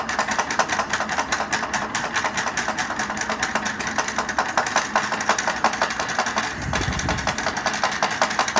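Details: Powered chair that sounds like a tractor: a rapid, even stream of ticks over a low rumble, like an idling engine, from the chair motor, which knocks abnormally; cause unclear.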